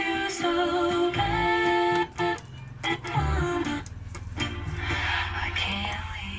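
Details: Sakura AV-502 integrated amplifier after repair of no main sound and no surround and center: music plays cleanly with no hum, crackle or dropouts; output is normal.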